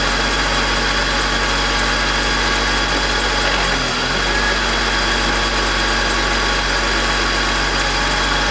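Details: BMW E46 M52TU B25 at idle with VANOS connected: constant harsh grinding rasp with brief rev dip, louder at startup; noise and rpm drop vanish with VANOS disconnected, VANOS suspected but unproven.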